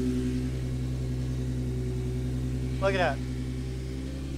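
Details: Engine with 3-inch intake and PCV delete kit installed, ports no longer simply blocked off: smooth, even idle with a steady low drone and no hiss or vacuum sucking noise; normal idle.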